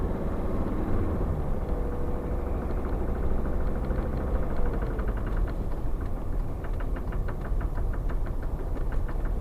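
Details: SsangYong Musso 2.9 diesel at idle: sharp, regular metallic tap about four times a second, clearer in the second half; internal engine knock of unknown cause.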